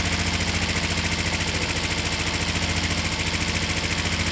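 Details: Finished, repaired twin motorcycle (down pipes just wiped, slightly smoky) started from the button: even, regular pulsing idle with no misses, knocks or hunting; running smoothly and healthy.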